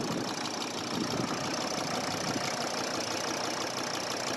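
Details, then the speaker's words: Volkswagen Crafter 2.5 TDI (BJL) diesel, neglected van, idling: fast light "chewing" tick like fingernails on piano keys over engine clatter, plus a hollow bu-bu-bu in the empty manifold; hydraulic lifters knocking. "Во-первых, слышно такое чавканье, как вот это пианино по таким ноткам, ногтями по клавишам."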